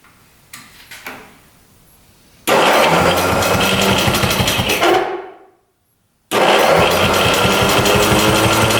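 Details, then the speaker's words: 1973 Skee-Horse snowmobile with Johnson engine, sat 40 years, cranked on battery: electric starter whirs hard about 2.5 seconds, winds down silent, then bites again; starter grabbing and getting stuck. "Seems like the electric start was somewhat grabbing and got stuck."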